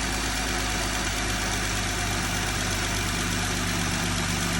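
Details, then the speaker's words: 2020 Jeep Gladiator idling after top-end repair for a tick; steady smooth low hum, no valvetrain ticking. Belt noise normally fades after idling; owner suspects slight water pump drip. Normal idle. "Our kit run good. We let it sit here and idle for a little bit and then um our belt normally goes away."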